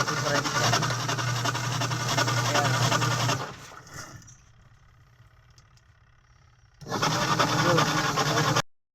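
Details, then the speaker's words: Washing machine on the spin cycle: a loud, rough grinding roar with a fast pulsing beat. The cause is a worn gearbox underneath, where the belt attaches. "Okay guys, ganito ba kalakas umikot ang iyong washing machine? Malakas ang washing machine pero yan maingay naman."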